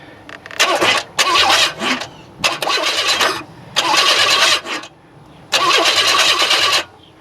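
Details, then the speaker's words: 1994 Chevy Astro van with a newly installed remanufactured engine, cranked through a fabricated remote starter jumper to find TDC. Five bursts of brisk, even starter whirring with no firing; normal starter cranking. "I crafted fabricated so I can crank the engine and find TDC without killing myself"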